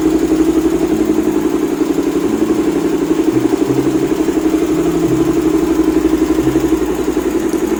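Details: Suzuki Thunder 250 single-cylinder after fixing a no-start (burnt stator-to-regulator wire, weak battery, corroded wiring; plug and stator wire now okay): even, steady idle with light mechanical clatter and no misses; healthy running.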